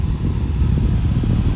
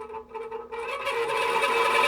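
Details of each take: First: Fan after oiling the front bearing with 3-in-1 oil: low, steady, smooth hum with no scraping or ticking; running freely again, though oiling will need repeating when it runs dry. Normal fan running. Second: Fan with dry front motor bearing, before oiling: steady, high-pitched squeal rides over the fan's whir for several seconds, then dies away; owner says the bearings are dry and need oil, and front-bearing oiling is planned. Dry fan motor bearing squeal.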